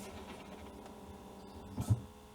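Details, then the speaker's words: Alfa Romeo 156 diesel after fuel filter drain, ignition on, heard near the glove box: faint steady low electric hum for a couple of seconds that stops, fuel pushed to the filter. Normal fuel pump priming. "Next to the glove box, you can actually hear the best the fuel being pushed through the tank into the filter, right?"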